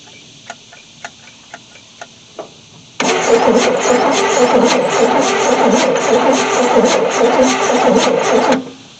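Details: 1973 Chevy C10 that sat 27 years, original carburetor and points distributor, fuel force-fed, push-button starter: engine cranks evenly for about five seconds with audible compression but won't catch.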